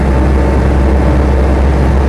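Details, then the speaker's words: Land Rover Series III diesel hardtop, fully gone through by a specialist, cruising in top gear: deep steady diesel drone with even cabin rumble and no gear whine (which it has only in lower gears); trundles on happily with reasonable speed, normal. "Well, I say, it just trundles on quite happily, and in fairness, for a diesel one, it's got a reasonably good turn of speed, this one."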